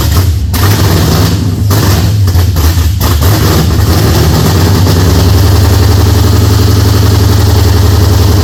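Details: Holden HZ with LS V8 swap, first start-up: deep idle lopes unevenly with irregular stumble; one cylinder definitely not firing, a misfire.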